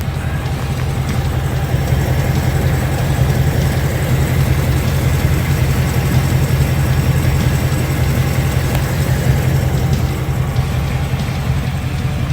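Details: 2018-2019 Ford Mustang idling after oil change to 5W-30 full synthetic with additive: steady, even low idle with no ticking or tapping; previous engine tick absent.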